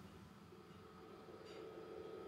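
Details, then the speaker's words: Yamaha Stagepas 300 PA system amplifier unit after fan noise repair and reassembly, switched on: only a faint, smooth fan hush with no ticking or rattling, normal quiet fan operation. "So switch it on, and as you can see, nice and quiet"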